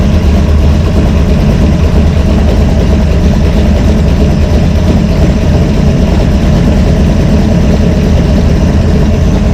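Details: Brawler 650 CFM double-pumper carb, timing 16° initial and 36° total, one idle mixture screw turned fully in: a loud, low idle that sounds lumpy and strained as vacuum drops. Rough idle from the lean mixture.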